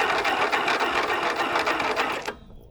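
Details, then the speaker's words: Abandoned 1980s Snapper riding mower, cranked with the spark plug out, jumped from a car battery grounded to the engine. A light, fast whir with no compression beat or firing fades out: weak cranking from a dead battery. "Doesn't sound like we have any compression considering the spark plugs out. It's kind of little. All right, that battery is totally toast, too."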